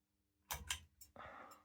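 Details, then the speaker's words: 1994 SMC DC-42 42-inch ceiling fan being switched off: a couple of sharp clicks, then a short soft pop and a brief rush. One of the pair pops at switch-off and the other doesn't, cause unknown. "Little pop. And go to this one. No pop."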